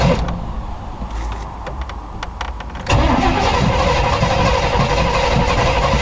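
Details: 1986 K5 Blazer not started for about two weeks: about three seconds of uneven cranking before it catches, then a lumpy, stumbling idle; it is a hard start and running on only four cylinders.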